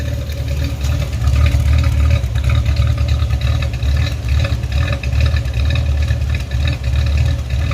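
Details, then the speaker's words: 1989 Chevrolet Celebrity 2.8 V6, 173,000 miles, lower intake gasket failure, warming up: very low, lumpy, cam-like idle that hunts slightly; should be lean yet smells rich, bad oxygen sensor suspected. "every time the check engine light comes on the car runs like poo just straighten up like crap they don't want to idle right it kind of idle so low that it acts like it's got a built cam in it"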